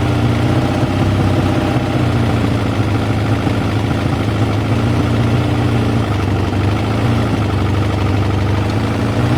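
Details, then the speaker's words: Kawasaki ZL600 motorcycle, first start after fitting new battery and air filters, cold: steady, even idle with a deep, unwavering exhaust beat and no knocks or misses; engine sounds smooth and healthy. "as you can hear it sounds amazing"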